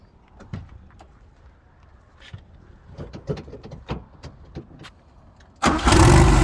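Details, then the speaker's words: 1970 VW Beetle with turbocharged 2180cc flat-four, full restoration: scattered clicks then prompt start into a strong, even idle; healthy, Porsche-like sound. "Man, sounds good, huh, fellas? Really good. I love the sound. Me too. It's not like normal. Nothing like it. It's such a Porsche sound."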